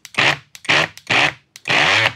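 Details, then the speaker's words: Peugeot Energyhub 18VBL cordless grinder, brushless motor run with gearbox off: short raspy, scratchy half-second bursts; the noise comes from the motor itself, cause still unclear. "C'est bizarre. Il y a quelque chose qui m'a échappé."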